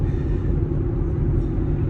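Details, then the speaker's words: Vehicle at 57 mph on Cooper Endurance Plus tires that became loud after rotation, balancing and alignment: a steady low roar with no beat. Road noise suspected from the tires; wheel bearings not ruled out. "doing 57. And you can hear these tires. I I'm I'm on my way to swap these tires out for some other ones."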